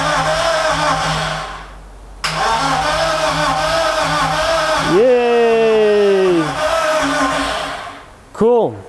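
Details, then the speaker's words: BMW E30 with M44 swap, custom ITB setup and ECU Master Classic ECU; after fixing crank sensor wiring (needed an earth), even starter cranking then the engine catches with a short rev rising and falling; now cranks and fires normally. "So we've got signal. So that was, I don't know, some issue with the way they wired this."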